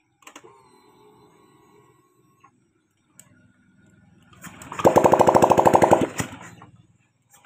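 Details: Honda Vario 125 fuel-injected scooter starting after injection service and manual ECU reset via DLC socket: quiet, then engine catches with quick even firing pulses and settles; clean, healthy start and idle.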